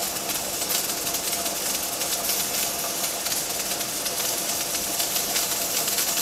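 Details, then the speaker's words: Pressure canner at 10 psi gauge reading, 240°F, with weight rocking; steady loud hiss with fast fluttering weight jiggle, normal working pressure, heat to be lowered so rocking eases. "right on the money my gauge reads 10 psi 240 degrees and my weight is rocking and rolling"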